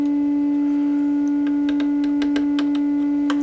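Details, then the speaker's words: Fender Pro Junior amp (two EL84s, new valves) with low, early-distorting output, test tone in: reduced volume with scratchy crackles as parts are tapped, briefly full volume then cutting out; suspected bad connection or dry joint. "that's annoying that because it came about full volume and then just cut out again kind of implies it's a connection or dry joint or something"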